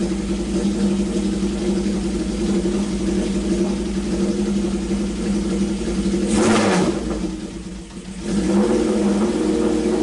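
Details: Honda CB750 four-cylinder, revived after sitting with points filed, coil fitted, carbs cleaned, oil level corrected: steady burble, clean rev and drop back to even idle, no misses or knocks; normal idle and revving.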